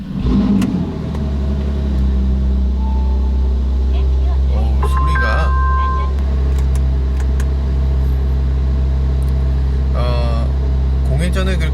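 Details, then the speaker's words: New Porsche 911 Carrera 4S, cold start: steady, even, raised-rpm drone with no misses or knocks; the deliberately high fast idle warms the engine quickly, and the owner lets it idle until rpm and noise drop so oil circulates. "그래서 이제 오일이 한 바퀴 좀 돌았다 생각될 정도 이렇게 좀 RPM이 좀 낮아질 때까지 소리가 좀 작아질 때까지 어 이렇게 어 공회전을 좀 시키는 편입니다"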